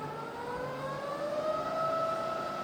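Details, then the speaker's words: Rebuilt Bridgeport milling machine, rebuilt head now in high range at about 550 RPM: smooth whirr rising in pitch as the spindle spins up then holding steady, no knocks or grinding; quiet, normal spindle run. "And then we're in high range now, so we're no longer at 60 RPM, we're now about 550. And you hear it's lovely and quiet in high range as well."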